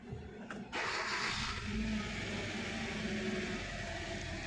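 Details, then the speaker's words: Hyundai Verna Fluidic 1.6 L petrol, misfiring on one cylinder from a weak coil, stalls and lacks pickup: cranks and catches, then idles rough and unstable, rpm raised to about 1000 by the computer and hunting up and down. "जब गाड़ी misfire करती है तब engine का RPM बढ़ जाता है। यह नॉर्मल है क्योंकि कंप्यूटर एडजस्ट करता है इंजन की स्पीड वाइब्रेशन कम करने के लिए और गाड़ी बंद ना पड़ जाए इसलिए। तो इस गाड़ी में ऐसा ही हो चुका है। अभी इसका आरपीएम 1000 तक पहुंचा है और बहुत ही ऊपर नीचे हो रहा है।"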